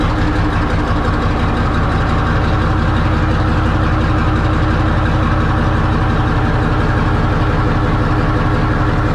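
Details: 1963 Diamond T 931-CN cabover semi diesel, first run after sitting one to two years: deep even idle, steady low thump near three per second, no knocks or misses; running healthy.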